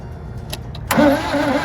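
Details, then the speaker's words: 1986 GMC Sierra engine that sat 10–15 years, now with new plug wires and a new distributor fixing the no-spark problem, cranking on a little gas poured in the carburetor; brief catch and rough sputter without running: fuel starvation. "And it's wanting to crank. We're going to hit it a few more times. It's not We're going to call it a night. But I can guarantee you, we get the we get fuel to this engine, she's going to run like a top."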